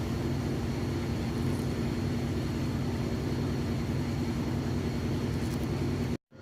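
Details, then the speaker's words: GE top-load washer in final spin with a heavy load of jeans and towels: steady, even drone with low hum, no knocking, scraping or shaking; spins smoothly, sounds healthy. "there's no shaking my hem might be a little shaky but there's the machine isn't that shaking at all sounds good very smooth excellent"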